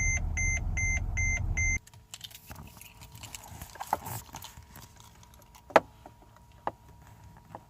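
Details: Mercedes-Benz E-Class brake system fault: fast even chime about three beeps a second, then only pedal clicks with no ABS pump whir when pumping brakes; car won't come out of park, cause unknown.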